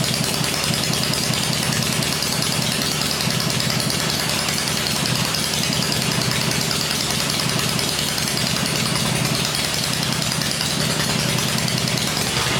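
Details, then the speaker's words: First start of a freshly rebuilt 96-inch engine with Edelbrock heads on an engine stand gives a steady, even, quiet V-twin idle with no ticking or knocking. Idle speed is well down. Normal idle. "well that sounded all right there yep Idols are way down on this question so now I'm just going to let it cool and then we'll run it again that sounded okay though yeah sounded good nice quiet"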